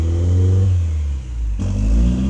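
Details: Toyota MR2 engine speed hunts up and down by itself, sagging near cutting out before recovering; caused by a misadjusted throttle position sensor, fixed by re-angling it with the screw centred in its slot.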